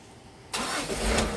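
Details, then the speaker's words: Vehicle with a starting complaint, restarted after being push-started and run about 10 minutes then shut off: the starter catches instantly and the engine fires straight into a steady idle; normal start, pointing to the battery rather than the starter motor. "tuh kan langsung cer ya saya matiin lagi, saya hidupin tuh, langsung cer ya saya matiin lagi ya."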